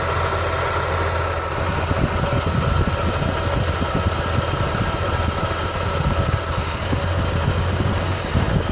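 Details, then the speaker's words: 1989 Chevy S10, 4.3 TBI: low, lumpy idle with a deep shudder and uneven firing pulses; rough idle with low-rpm vibration. Owner suspects one cylinder misfiring, plus fuel in the oil from running rich or rings; unconfirmed. "so it's possible I have one cylinder that's misfiring as well and that's what's causing the vibration but sorry now my main concern is vibration at the low rpms and the poor idle"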